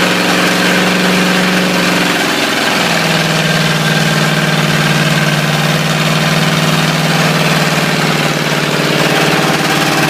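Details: Ford 351W V8 with a spun rod bearing, abused until it dies: dull, uneven knock under the idle rumble, roughly four per second; bottom-end rod knock.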